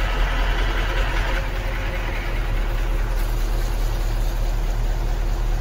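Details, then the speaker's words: Mercedes-Benz checked for a starting problem, running on a different battery after starting: low, even idle holding steady with no stumbling or misfire; normal idle, so the battery was the issue. "तो अभी हो गया, battery सही हो गया गाड़ी।"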